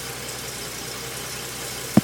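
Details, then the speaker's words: Jaguar V12 in a Nemesis kit car, started after fuel pump priming while setting ignition timing with a strobe; soft even low hum with one brief click; timing appears about spot on; normal idle. "right now that's sticking over fairly nice"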